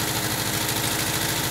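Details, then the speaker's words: 1979 Volkswagen Type 2 with 2-liter fuel-injected flat-four engine at idle: fast, light metallic clinking like glass bottles banging together over a steady idle; cause unconfirmed. "It sounds like you're banging two glass bottles together."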